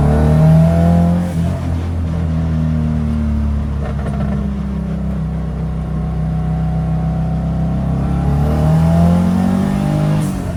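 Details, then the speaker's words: WRX-swapped VW Beetle, about 300 hp, after troubleshooting and fuel filter replacement, fully warmed after 20-minute drive: clean, even pull with smoothly rising note, no stumbling under boost; fuel pressure reaches 60 psi on boost, running healthy. "Made sure it got hot. Made sure, you know, enough fuel was circulating and it was perfect. It would hit 60 psi fuel pressure when under boost."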